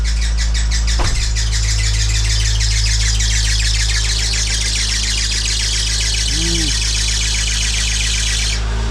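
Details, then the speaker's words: Freshly rebuilt B18C1 engine in a DC2 Integra GS-R, warming up: steady running with a bright fast chirping belt squeal that fades away; owner suspects a loose or tight accessory belt, not a big deal. "That sounds like a loose belt or a tight belt. One of the two."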